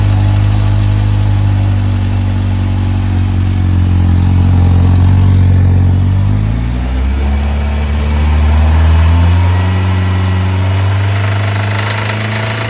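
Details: Engine at idle with a steady low knock that quickens as it revs, a deep bottom-end sound; rod knock suspected, not confirmed.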